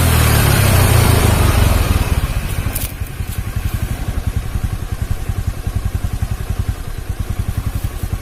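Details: Carbureted Honda Beat scooter after replacing snapped drive belt with V-belt kit: brief rev falls back to even, steady putter of three to four beats a second, no slapping or rattle; engine smooth after repair.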